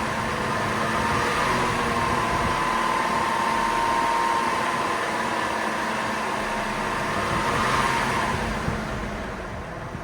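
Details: 2002 GMC Envoy with code P0495 (cooling fan RPM too high) and a jet sound from a bad fan clutch, after the fan clutch is replaced. A steady, even airy rush with a faint constant tone and no jet-like howl; the fan clutch behaves normally.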